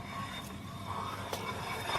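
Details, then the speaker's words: 2008 Chevy Suburban front wheel lifted and spun: faint, steady metallic rasp with brief scraping flares, metal on metal from worn brake pads, probably mostly the inner pad, louder on one side. "And spin the tire, you can hear metal on metal. So right there, you know that them brakes are worn. Either it's probably the inner brake pad mostly."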